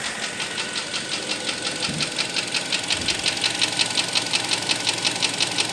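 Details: 2012 Kia Sportage 3, 95,000 km, hot engine at 80°C: sharp even metallic ticking about three times a second over warm idle; knock from inside the engine when hot, owner fears overhaul needed.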